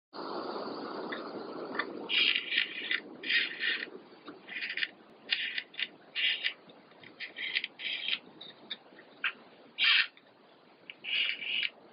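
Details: Savöx 1257 MG tail servo gives short squeaky creaking bursts each time it moves, no steady motor noise between; gears binding or dry.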